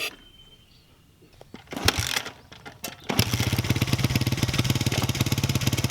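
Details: 1989 Honda XR100 single-cylinder with a new carburetor and throttle cable, both old ones seized. After a few kicks it catches and settles into a steady popping idle of about three to four beats a second, firing evenly; normal running.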